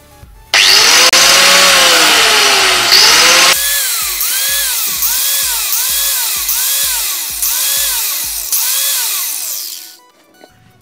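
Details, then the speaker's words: Angle grinder that had been starting and stopping intermittently, after checking its wire connections and reassembling: motor spins up with a high steady whine on each press, winds down and restarts evenly. Fixed; now normal running. "so as you can hear his back working again every time you press the button that comes on so that's all the problem was"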